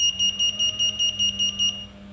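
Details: Kwikset SmartCode keyless deadbolt, sluggish and flashing a red light: about ten quick high-pitched beeps in under two seconds while unlocking; the low-battery warning, fixed by replacing the batteries.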